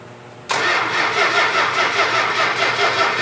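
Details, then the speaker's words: Freshly built Mopar 440 crank test with oil pressure and fuel pumped up: starter spins the engine at an even cranking beat but it never fires; no spark, blamed on a faulty ignition coil. "Yeah, we got no spark. This incredible story becomes more ghastly with each report. The unburied dead are coming back to life. Okay, let the battery charge up for a second. Yeah, we got no spark. The fact that the 440 didn't fire right off is because of a faulty coil."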